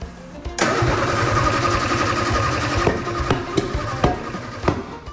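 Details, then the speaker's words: 1967 Austin Healey Sprite being revived after years of neglect, no exhaust fitted, during ignition timing checks: loud open-pipe running with uneven, lumpy beats and stray sharp cracks; rough running, ignition suspected 180° out, not confirmed. "that sounds off that sounds 180° off doesn't it but but you got to remember there's no exhaust on it so it's going to sound different"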